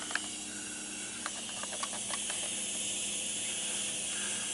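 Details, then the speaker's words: Constant thin high hiss with a few scattered clicks in a quiet shop while stapling a package tray panel; owner suspects an air leak somewhere in the compressed-air lines feeding the pneumatic staple gun, plans new connectors. "you could contact cement it on but I found it in the past when I've done that that if I had a mistake or something to where I wanted to pull it back off contact cements a one-time deal you're there and I think I've got a leak in my air system"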